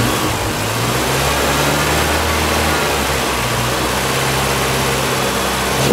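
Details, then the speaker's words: 2006 Mini Cooper, 1.6 L engine, about 55,000 miles, five-speed manual, front-end damage, being parted out: a smooth, even engine note that climbs and settles cleanly when revved, with no knocks or misses. The engine runs excellently. "and you can hear excellent running 55,000 milder"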